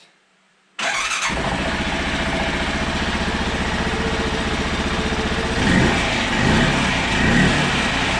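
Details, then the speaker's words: 2008 Arctic Cat 650 XT, sat three years with a new starter fitted, first start from a glovebox button: silence, then it catches instantly and settles into an even, steady idle with no misses or knocks; normal start and idle. "but to my surprise check this out guys she starts right up first start with my button in the glove"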